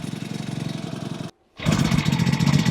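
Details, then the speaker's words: Amazon 49cc four-stroke pocket bike mini motorcycle, warmed up, after adjusting idle screw on throttle cable: small single putters at steady even idle, no hunting or stalling; idle properly set. "The idle screw is right here. It just connects to the throttle cable and kind of tightens it and loosens it on the throttle. I think we got it. There we go."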